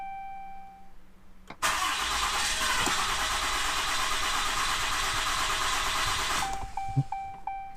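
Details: Ram 2500/3500 with 6.7L Cummins turbo diesel, just after replacing both fuel filters: it fires almost instantly on the first try and runs with a steady, even clatter for about five seconds before shutting off. A clean, healthy start with no leaks.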